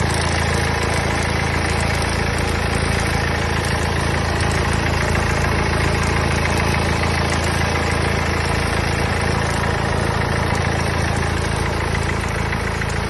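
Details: Mercedes OM651 diesel at idle: steady idle with an even, quick ticking knock about three per second on top; source unidentified.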